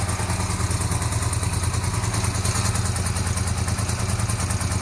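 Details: 1982-83 Honda V45 Sabre V4 café racer after correcting float bowls set far too high, fuel screws 2 3/4 turns, choke on, cold: steady, even low burble at idle, no misses or stumbles; finally running cleanly on all four cylinders.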